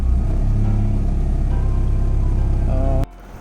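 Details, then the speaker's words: Honda Civic (H2B swap), throttle slowly released: lumpy uneven low idle for about three seconds then stalls; owner suspects a vacuum leak, later confirmed as a large vacuum leak. "I'm going to slowly let off and see if it holds idle. It won't."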